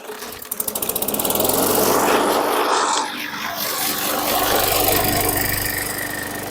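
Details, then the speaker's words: 2019 Murray push mower, 4.5 hp Briggs & Stratton 450E engine, after pushing the sticking linkage to the left; a few cranking pulls, then it fires and runs a steady, even buzz; normal running. "okay no action I'm gonna come down here and move the uh linkage it did move for about three millimeters with some help Tommy time help"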